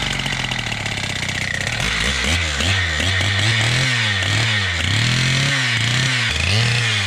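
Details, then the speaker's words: Husqvarna K760 gas concrete saw, two-stroke, test run after a new ignition coil, filters and service: the engine surges up and down in a wavering rhythm instead of holding steady revs, running better than before but with suspected carburetor issues. "Well, it's running better. Sounds like it's got carb issues."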